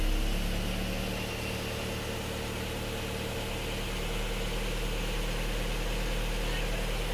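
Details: Isuzu Panther diesel just started after repair: cylinder 4 liner had sunk at the top and was flipped, piston rings replaced, after strong dipstick blow-by. Even, steady idle clatter with no misses or knocks; still needs warming.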